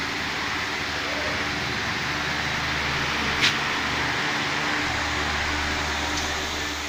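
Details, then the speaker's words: Pedestal fan after a loose blade part was refitted; it runs with an even, steady airy hum and no rattle or ticking, and the earlier noise is gone. "है तो आप देख सकते हैं दोस्तों इसमें किसी तरह की कोई आवाज नहीं है"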